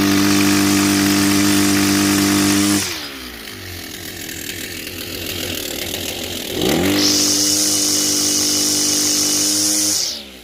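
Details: Kawasaki TJ35 brush cutter two-stroke after repair: crisp high buzz revs cleanly, drops to a smooth idle and picks up again without bogging; earlier struggling was due to a carbon-blocked exhaust port and a carburettor needing service.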